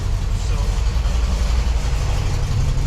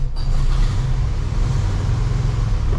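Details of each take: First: VW Super Beetle flat-four, warmed up: deep even idle rumble holding steady without surging or dying; it has sometimes failed to idle on its own since the generator was changed. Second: Classic VW Super Beetle air-cooled engine started cold, deep lumpy wavering idle that won't settle; needs warm-up to idle on its own, doing so since generator change despite carburetor idle adjustment.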